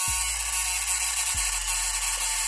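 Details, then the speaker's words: Elcom SPS260 amplifier power supply that drops out, indicator lamp blinking at switch-on: low buzzing chatter restarting about every 1.3 s from one of two relays vibrating, not the transformer or soft-start relay. "Oke Sepertinya itu bukan getaran dari trafo Sepertinya itu merupakan getaran dari relay nah di bawah sana itu ada dua buah relay dan relay itu yang terdengar bergetar"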